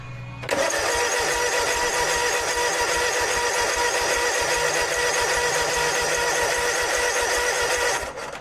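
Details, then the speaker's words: Snapper zero-turn mower, fuel in left tank, choke clip missing so choked by hand: steady cranking about eight seconds never catches; spark present, fuel solenoid not clicking despite power; fuel issue suspected. "Yep, we do have spark. Probably gonna be a fuel issue."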